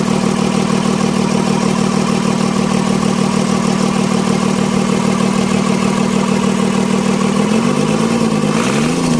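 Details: Mitsubishi 6D17 diesel after injection pump plunger replacement for hard starting: steady even idle with regular clatter, then clean smooth revs; running healthy.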